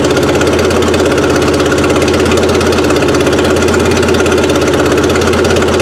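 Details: Suzuki Sidekick after an 8-valve to 16-valve engine swap, first run with timing around eight degrees before top dead center: a fairly steady idle, slightly uneven beat, no knocks or misses; a fuse later blows from harness arcing near the motor mount.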